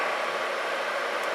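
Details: Atwood 7912-II 12,000 BTU 12 V RV propane heater after repair; gas cut, blower coasting on timer after shutdown: steady even airy rush, no flame roar, normal.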